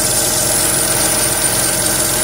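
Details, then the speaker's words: Renault Twingo III, SCe70 engine: a thin, steady high-pitched squeal over an even idle from an accessory belt pulley or tensioner, suspected lack of lubrication; a drop of engine oil was applied as the fix. "Una de las poleas está haciendo un ruido muy agudo, seguramente falta de lubricación."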